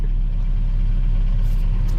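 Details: 2001 Dodge Ram 1500 5.7 V8, started after repair following a thrown rod: deep, even idle with a steady low rumble and no knocks or misses; running smooth and healthy.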